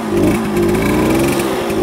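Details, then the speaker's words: 1966 Harley-Davidson Aermacchi M50S two-stroke; owner suspects it runs rich and may need a smaller low-speed jet, with the pilot screw almost fully in: burbly, wandering idle that never settles; rough idle. "going to shut the fuel off I think it's running rich and it it maybe needs a low a lower a smaller low speed jet because my pilot is all the way pretty much screwed in to get it best"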